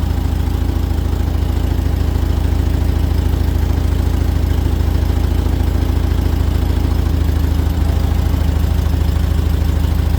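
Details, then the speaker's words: 1978 VW Super Beetle with L-Jetronic fuel injection after timing and mixture tuning, with the mixture backed out half a turn because it was probably too rich. A low, even flat-four idle around 800 rpm with no hunting; normal idle. "Yeah. I mean, I think I like it. I think I like it where it is."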